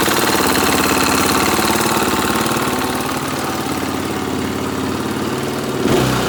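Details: 2017 KTM 450 EXC-F Six Days, steady tapping knock over busy single-cylinder idle, louder on blips and from the lower right side; silver curly non-magnetic metal shavings in the oil and on the screen, cause unknown.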